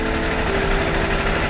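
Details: Benelli TNT 899 motorcycle engine after the check engine light was traced to an O-ring on injector 1's connector: steady, even idle with a smooth, unchanging tone and no misses or hunting; normal idle.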